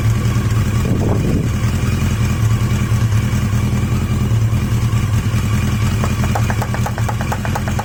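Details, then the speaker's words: Yamaha XJ750 after a carburetor swap from an XJ650, recorded in gusty wind: even, settled low four-cylinder rumble holding steady speed, best idle yet; normal idle. "I think that's the best idle I've had I'm not entirely sure you're going to hear anything it's so windy it's blowing everything out but that sounds quite"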